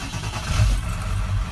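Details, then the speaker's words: 1997 Ford F-350 7.3 Power Stroke diesel, 99,573 miles, idling smooth and steady in park; its rough, jumping idle was traced to a bad neutral switch on the side of the transmission. "Now it's normal. No problem or nothing. Put it on park and everything is perfect."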